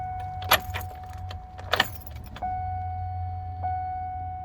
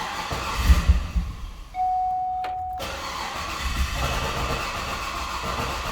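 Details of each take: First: Likely a 2010 Cadillac Escalade after engine replacement, no-start: at key-on after clearing codes, a steady thin hum starts and holds as the fuel pump primes; fuel pump priming at key-on. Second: 2010 Cadillac Escalade after engine replacement: warning chime then a few seconds of steady starter cranking without catching; loose battery cables.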